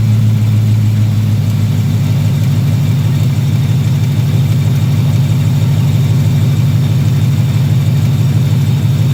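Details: 2018 Ford Mustang GT V8 idling after sitting a few hours: fast, even light tick, about three per second, over a deep steady idle, heard from the lower engine on the passenger side only. Owner doubts bottom-end failure and suspects the engine is just noisy; source unknown.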